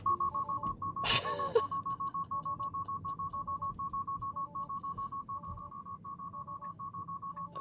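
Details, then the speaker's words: Tesla on Full Self-Driving 12.3.3 with driver's seat belt unbuckled: insistent mid-pitched chime repeating about twice a second over quiet cabin noise; car then turns on hazards and slows down. "if you really want the system to go bugging out what you do is you put it into full self-driving mode here and then you take off your seat belt"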